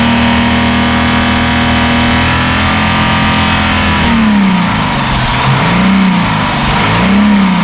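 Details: 1971 Mercedes-Benz 280 SE (W108) six after its mechanical fuel injectors were cleaned and bench-tested: steady even idle, clean blips rising and falling smoothly, no missing; a little smoke, possibly running slightly rich; sounds good.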